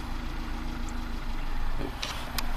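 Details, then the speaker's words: 2015 Kia Soul 1.6 GDI, 152,000 miles, no codes set: low uneven idle that stumbles and barely keeps running, almost no intake manifold vacuum, throttle gives no response, misfires; rough idle, cause not yet confirmed. "Barely any vacuum in the intake manifold. It's running really rough. And, oh, it can barely keep running."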